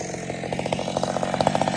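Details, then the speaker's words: Old McCulloch Super Pro 70 chainsaw, modified, which previously ran all over the place: quick, even pulses at a steady rate with no surging or stumbling. Runs cleanly after the changes. "i'm excited about it it was bothering me because it was all over the place listen to it tin man very nice job straight goods gosh listen to it"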